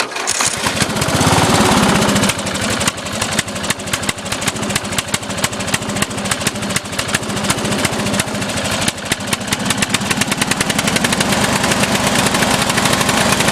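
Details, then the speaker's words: Offroad lawnmower engine, mixture screw fully in but still getting too much fuel, black smoke: runs rough and uneven, stumbling; running rich, owner considering another carburetor, cause not confirmed. "it's smoking black smoke so I don't know what's going on with it"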